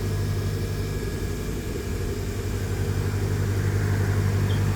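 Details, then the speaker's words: Bench grinder after a capacitor installation, first test run: even, steady low hum at constant speed with no grinding, rattle or wobble; the motor runs very smoothly; normal motor run. "Very smooth."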